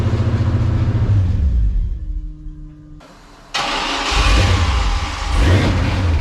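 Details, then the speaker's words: Stock junkyard 5.3 LS V8 from a 2000 Silverado in a 1971 C10, first start on booster pack with no coolant: catches and revs, dips and nearly dies, then picks up; a couple of clatters, possibly loose parts or fan; basically healthy running. "she was running okay didn't make any huge noises there's kind of a couple of clatters but there's so much stuff just hanging around down there"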